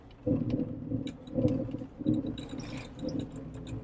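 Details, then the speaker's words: Jeep Wrangler TJ on oversized 31x10.5 tires at idle, steered to full lock: short scuffing rubs in bursts about once a second. Tires rub at full lock in either direction; owner plans adjustable control arms and a lift. "So you guys can see there's a tiny bit of rubbing at full lock, and that is caused by the larger tires. I'm running 31 by 10.5s, and apparently it does not like that."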